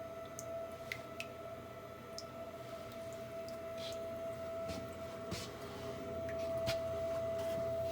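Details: Navien NHB110 boiler, installed January 2020, loud steady high whine over low running hum with faint clicks since installation; contractors variously blame fuel mixture or water flow issue.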